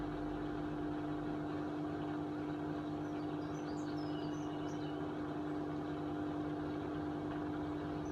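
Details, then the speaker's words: Hotpoint Aquarius 6 kg WMA50 washing machine on a test wash after a new suppressor was fitted; the old one arced and tripped the consumer unit. Drum distributes a small load before a short spin, with a steady, even motor hum and no knocking. Normal spin. "it's trying to distribute the Lord I reckon before it does a little spin"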